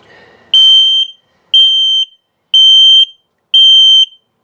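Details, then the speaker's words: 2021 Dutchmen Coleman Lantern 274BH RV's combined LP/carbon monoxide detector during a test: four long shrill beeps about one per second, the carbon monoxide alarm pattern following the LP test. A slow beep at the same pitch would instead mean a low battery. "Yeah, there we go. So that was an LP test, carbon monoxide coming up."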